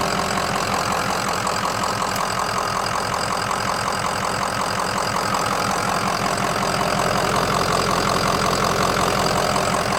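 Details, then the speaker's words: 2005 Ford Excursion Eddie Bauer, 6.0L Powerstroke diesel, 4WD, with head studs, coolant bypass filter, 181k miles and no check engine light. Even, rhythmic diesel clatter at steady idle with no misses, knocks or hunting. Normal idle. "All right, let me let you hear it idle, and we'll take it for a test drive."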